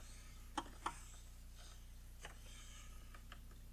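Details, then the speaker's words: Early Jaguar XJ-S V12 with Lucas electrics, revived after sitting many years: light irregular relay clicking behind the dash for the climate-control servo, apparently from a bad connection at fuse 11. "so i can hear the relays over here clicking for the servo so that's really good"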